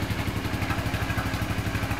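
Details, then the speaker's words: 2007 Suzuki Burgman scooter recently bought, idle rpm where it should be: low, steady thumping with slightly uneven pulses, rough idle and the drivetrain makes it creep forward; cause not determined. "the bike doesn't feel like it's lurching forward all as I'm sitting on it but it is kind of rough"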